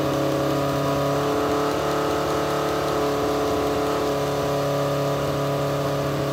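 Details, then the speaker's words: Legends race car after a motor swap, with alternator backfeed to ignition: engine cranks and runs rough and ragged as the carburetors pour fuel. Owner suspects flooding and plans to check carburetor needles and seats. "the car bear is just pouring gas we're gonna try to crank it one more time and tap it"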